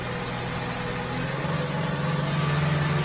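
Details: 1992 fiberglass boat about 23–24 ft repowered with a Yamaha F250 outboard, water test, trimmed down, accelerating; tone climbs smoothly with even firing, no knocks; spray is from the transducers, not the motor; normal running under acceleration.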